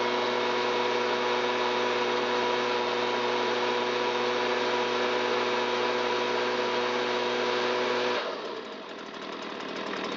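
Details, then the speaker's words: Stihl BG86 commercial handheld blower with probably thousands of runtime hours, after repair for fuel leaking from muffler (new carburetor, fixed fuel tank vent, cleaned spark arrestor): held full throttle to clear fuel from muffler and crankcase; clean steady high buzz, smooth drop on release, no sputter or bogging. "It took the engine a moment to clear all of that fuel out of the muffler and out of the crankcase, which is why I just held it full throttle and let cylinder head temp come up and let it get cleaned out inside."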